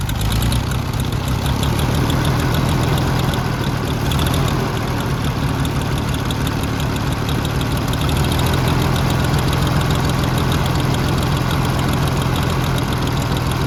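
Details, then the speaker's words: Oliver 70 tractor running for the first time after sitting, with the idle and high-speed jet being adjusted: a low, lumpy idle with an uneven beat and stumbling pulses. The engine is not firing on all cylinders. "I think that's it trying to pick up cylinders but I'm not sure about half thrt"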